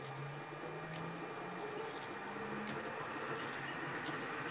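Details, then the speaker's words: Lorch A11 toolroom lathe on a variable frequency drive at 50 Hz full power, started slow and ramping to 1400 rpm: quiet motor hum, soft flat-belt flapping, faint high whine. Pulley system in neutral. Normal belt drive running. "can hear the belts there pick up down there to 1400 rpm"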